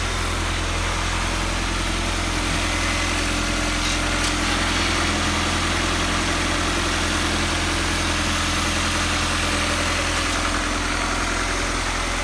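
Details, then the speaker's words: Freshly swapped high-compression B20 engine replacing a customer's blown motor, first idle: steady, even, smooth low thrum with no ticks, puffs or misses; idles cleanly with no exhaust leak. "first idol super smooth idle super smooth"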